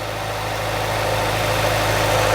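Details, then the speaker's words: Honda Civic Type R EP3 with Honda-fitted exhaust and DC Sports 4-1 manifold, engine started: steady, even idle with a low smooth hum and no ticking or knocking, unlike dropping cams; idling cleanly. "so as you can hear there's no like ticking or anything just smooth it's actually weird hearing it without having the dropping cams like my"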